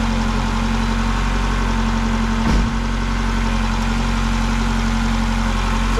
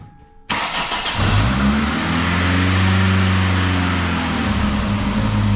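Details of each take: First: 2000 Ford Contour 2.0 after intake gasket and cracked vacuum line repair: smooth steady idle, no hiss or stumble. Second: 2000 Ford Contour 2.0 petrol, rough idle under load, after new intake gaskets: starts and idles slightly unevenly with a steady airy hiss over the hum; a vacuum leak remains, with a cracked PCV line and a possibly leaking injector suspected.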